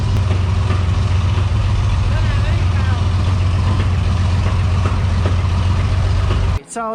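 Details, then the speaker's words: Off-road crane diesel, just fixed after being recovered from a rollover down a hill (engine had quit), drones steadily then cuts off; has enough power to run the crane but not to drive itself, cause unknown. "crane runs doesn't have any power it's got enough to use the crane just not enough for it to drive itself places"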